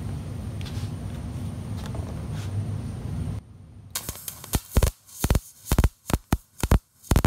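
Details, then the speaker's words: MIG welding with good gas flow and correct voltage but wire speed too low: irregular loud pops and sputters instead of a smooth crackle, leaving soot and a big fat puddle. "all right so we have good gas flow we've got uh our voltage set correctly we've got everything looking good but you noticed that it The Sound was terrible and you've got all this uh soot and stuff"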